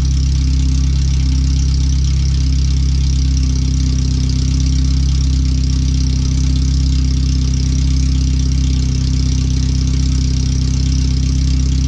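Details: First startup after replacing the header and fuel filter and moving the O2 sensors and wiring; running on the header only with no exhaust behind it. Very loud, deep, throbbing idle with a strong steady pulse; harsh but firing evenly. The computer reads 5–7% rich.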